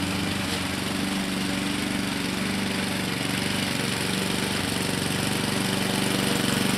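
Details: 2014 Husqvarna HU700F self-propelled push mower, Honda GCV160 single-cylinder engine, after carburetor clean and general cleanup: even, steady beat with no misses or surging; normal clean, healthy running.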